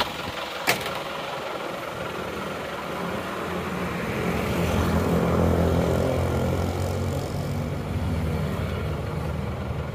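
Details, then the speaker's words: Isuzu Panther flat-deck pickup diesel after blow-by repair, heard at the tailpipe: steady low rumble, even pulses about 3.5 per second, no miss or hunting; smooth idle, exhaust smokeless at idle like a petrol car. "anya itu akan kasar nah ini sudah halus suaranya seperti ini kalau digas"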